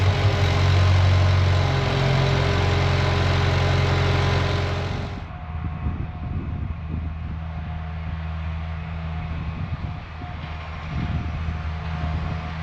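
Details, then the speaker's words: Budget Bobcat skid loader, about a year into ownership, using no oil and running great: a strong, even rev settles into a steady, regular idle with no knocks or misfires. A normal start and idle. "Looks like we are right up on oil, so using no oil. It's been running great. I'm super happy with it, so that's awesome."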